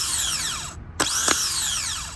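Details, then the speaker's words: Replacement starter for a 2000–2004 Nissan Maxima, bench-tested on 13 V: the gear pushes out and whirs up to a clean high whine, then winds down smoothly with no grinding, unlike the grindy old starter. "So this one is very smooth, push out and spin."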